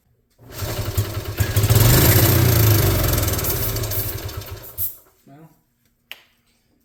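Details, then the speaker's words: 1986 Honda TRX70 first start after sitting, mud found in ignition connection, carburetor not yet cleaned: engine catches and revs unevenly about four seconds, then sags and cuts out; runs rough, carb suspected. "Regardless, for now it does run. Not well."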